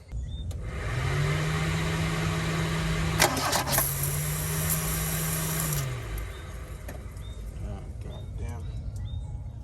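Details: Toyota Glanza parked since 2021, cranked off a booster pack because its battery lacked power, checking for fuel delivery: steady starter whir for about five seconds, never catches; cranks but won't fire.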